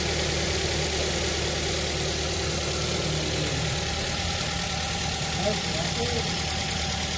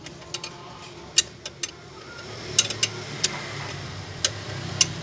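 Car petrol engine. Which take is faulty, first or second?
second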